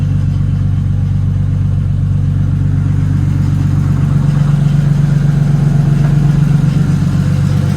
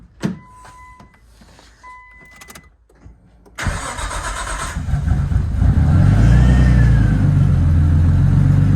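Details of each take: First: Nissan R34 Skyline first start after installing a rebuilt engine (the old one had rod knock): steady idle with a low droning hum. The noise is the power steering pump whining because it doesn't have enough fluid. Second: Nissan R34 Skyline first start with rebuilt engine, turbo pipe not yet fitted: clicks, cranks, catches promptly, steady idle with faint whine from power steering low on fluid; normal start and idle.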